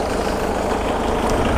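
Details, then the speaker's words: Ford Mondeo 115bhp TDCi LX estate turbo diesel at idle: steady tick-over with a light rattle, owner suspects a loose engine or sump cover vibrating; nothing to worry about, unconfirmed. "you just hear it slightly noisy on tick over but i'd imagine they all do that it's generally just some sort of cover on the top so"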